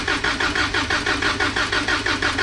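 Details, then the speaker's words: Toyota 22R engine in a pickup during a compression test: even, steady cranking at about five strong pulses a second with no weak beats, the gauge reading about 150 psi; healthy compression. "right there 150. yeah so this is healthy"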